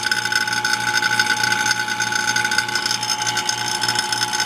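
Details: Vacuum pump evacuating a Ford Bronco AC system converted from R12 to R134a: steady motor hum with a fast, even rattling chatter on top, unchanging throughout; pulling down normally.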